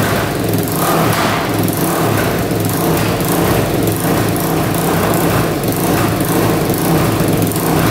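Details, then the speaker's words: Honda 400EX big-bore quad just rebuilt, during break-in throttle blips: single-cylinder engine revs up and down with light pops on throttle changes; backfire from an exhaust leak at the top of the header, new header may be needed. "there's a little backfire that's from the exhaust leak up at the top um I may have to order a new header for it"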